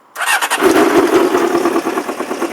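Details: 1994 Honda CBR600 F2 with dead battery jumped from a truck: starter engages and engine catches within a fraction of a second, quick even firing; normal start.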